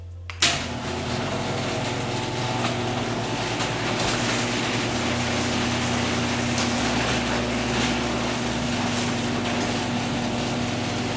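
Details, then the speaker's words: Garage door opener running after steel rollers were replaced with Ultra-Life MAX 2 nylon ball-bearing rollers: steady motor hum, smooth even travel, no roller rattle; max 74.7 dB (was 85.1), average 66.7 dB (was 72.0). "okay so after replacing the rollers I have a maximum decibel reading of seventy four point seven the former max was 85 point one that's about a 10 decibel reduction that's pretty significant"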